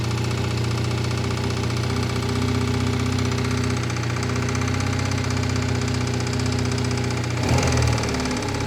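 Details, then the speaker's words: 2001 Triumph Bonneville T100 petrol twin, first start on choke after long lay-up outdoors: heavy uneven low thumping about four beats a second, running on one cylinder and knocking terribly; knock cause unknown. "nope it's running on one cylinder knocking terribly though"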